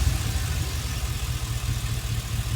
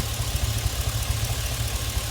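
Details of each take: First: Chevy Express V8 at idle after injector 1 was reconnected, the loose connection on that plug having caused the cylinder 1 misfire. Low, steady idle with an even beat and no stumble. No misfire, normal idle after the fix. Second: Chevy Express, rebuilt earlier, at idle with a cylinder 1 misfire that stayed put after swapping the injector and coil, watched on the scanner. Uneven, lumpy idle with irregular dropouts. A cylinder 1 misfire.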